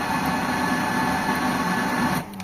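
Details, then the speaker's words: Mitsubishi Lancer GLXi that won't start on the key but runs when push-started; starter already replaced with no change, a long-standing problem. Turning the key gives a loud, steady metallic grinding whir for about two seconds with no crank, coming from the starter or flywheel. "So ayan mga bossing nadinig niyo yung tunog ah tunog bakal yan mga bossing na nanggagaling doun sa starter o kaya naman sa flywheel."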